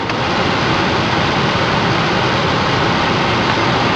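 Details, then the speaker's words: Ford Focus cabin blower, newly installed replacement motor on top speed 4, much stronger than the old one: strong, steady rush of air with even fan hum, no rattle or squeal; normal at full speed. "Seems to be so much stronger than the last one, huh? Perfect. I can run air conditioning."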